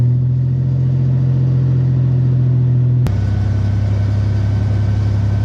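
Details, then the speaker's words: 2001 Toyota Tacoma 3.4 V6 with a Flowmaster 40 series, on a cold start after JB Weld was applied over poor exhaust welds. Steady, deep idle rumble with no obvious ticking or puffing; the leaks are mostly sealed, with the smallest hint left at one spot. "Still the smallest hint of a leak right there. But everywhere else it seems like we're good."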